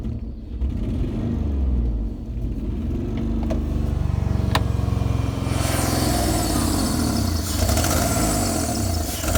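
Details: Jeep Liberty running with a loud, uneven, lumpy low rumble, shaking hard, smoke from somewhere, dies if left idling; no metal-on-metal noise heard, owner considered misfire, cause unknown.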